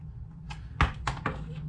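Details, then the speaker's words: Porsche 997/987 cupholder with broken plastic tension rod that links to the spring: the arm flops free and bounces inside the holder, making loose plastic clacks, four sharp knocks in under two seconds. Fix is reconnecting it with metal wire. "this piece is also going to be bouncing around inside this cup holder and that's going to be making noise"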